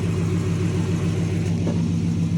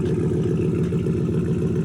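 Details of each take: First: Dodge 360 Magnum V8 truck with new eBay catback, idling before light revs: deep steady burble, even pulses, no rasp or ticking; healthy exhaust tone. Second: Dodge 360 Magnum V8 truck after fitting eBay Performance Curve catback, idling: fast even puffing tick on the exhaust note keeping pace with firing; small leak at a clamped pipe joint, to be retightened.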